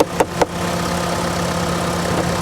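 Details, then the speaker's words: 2010 Mitsubishi Lancer bought at a salvage auction, in a dirty state. A few clicks at start, then a steady, even petrol idle with a smooth low hum and no knocks or misses. Normal idle. "She runs good. It sounds healthy, guys. As long as it drives good, I think this is worth saving, even if we can't turn a profit on it."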